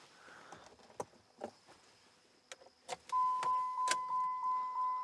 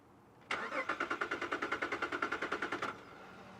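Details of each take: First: 2007 Jeep Liberty, test start after installing a new battery and checking the wiring: door chime and clicks, a short crank, a clean catch and a smooth, steady idle; it starts and runs normally. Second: 2007 Jeep Liberty just after a new battery install: the starter cranks in a fast, even chatter, about three pulses a second for two seconds, then stops without catching. The owner expected start-and-die relearning behaviour after a dead battery; cause unclear.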